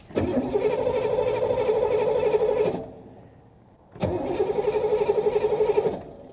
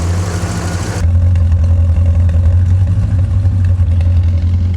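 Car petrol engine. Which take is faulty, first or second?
first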